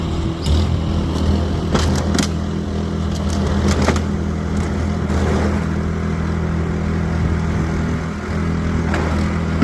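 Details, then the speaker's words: Snowblower after the carburetor repair that fixed its choke-only running, driven over grass: a steady, even small-engine drone holds speed under load with some scraping underneath; it runs smoothly and healthily. "well apart from ripping up my grass I'd say she works pretty great yeah"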